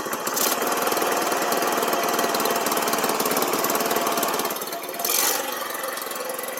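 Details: Baja Dune 150 buggy, Chinese single-cylinder, second start after it had stalled on throttle, idle turned up: quick, busy steady beat with no stumbling or dying out; now runs properly.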